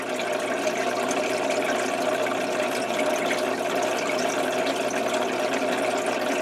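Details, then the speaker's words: Old Tetra Whisper 20 hang-on-back aquarium filter, a couple of years old: steady water splash with a light, even buzzing rattle underneath from a worn impeller; such filters get noisy after two to three years, replaced with Whisper 40. "they generally last two or three years before they start getting a little noisy and ratalie and then I just go ahead and replace them"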